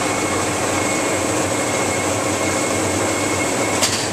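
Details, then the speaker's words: Duplo DC48T booklet maker with trimmer cables hooked up to the motherboard, jogging; steady even motor whir with a faint high whistle, no knocks or grinding; normal operation. "so you can't see my conveyor belts running but you can hear the motor running on it"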